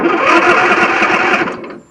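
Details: Craftsman 9000 riding mower after carburetor replaced with a parts carburetor, missing bolts and ground fixed, battery borrowed and jumped, started with some choke; catches quickly, settles into a steady even buzzing run before easing off; starts and runs properly.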